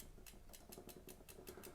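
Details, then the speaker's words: Retro 1995 Cannondale F600 (27 years old) being assessed; square-taper bottom bracket spins freely but the drivetrain gives a sharp, regular tick-knock about five a second when turned by hand. Owner suspects B-tension or the cassette, not confirmed. "I'm fairly certain it's to be tension on a cassette uh but we can sort that out"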